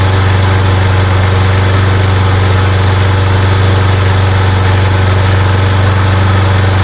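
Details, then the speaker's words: Craftsman mower with Briggs & Stratton engine, hot and restarted after priming: even, steady single-cylinder thrum with no misfires or knocks; runs fine, but a starting problem remains and the carburetor is to be opened. "But the good news is the good news is it runs just fine."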